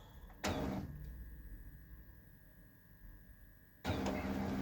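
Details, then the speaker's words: Kyocera P3145dn laser printer that crackled, squealed and jammed paper: with the drum unit drive disconnected it runs quietly, only a soft motor hum, no crackle or squeal, pointing to the drum drive gear. "то всё работает тихо."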